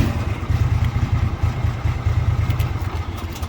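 Small single engine chugging at a quick, even low thump after starting; it settles into a steady, healthy idle.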